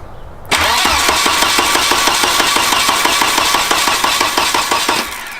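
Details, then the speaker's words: Turbo wagon on a new Microsquirt standalone harness, first start attempt: steady starter cranking about three beats a second, never catches; no spark because Microsquirt has no built-in coil driver, ignition output only logic level; crank no start. "I have completely overlooked the fact that the micro squared does not have a built-in coil driver and the ignition output signal is only on logic level"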